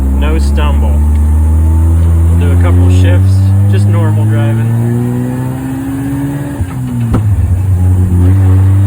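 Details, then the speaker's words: Mazda 13B rotary Willys Jeep with FiTech EFI, driving after EFI retune for tip-in stumble; pulls smoothly from low revs with a rising, unbroken note through the shifts, no stumble or hesitation, running well, normal acceleration. "driving [Music] back from our short ride really happy with how it's running so good success"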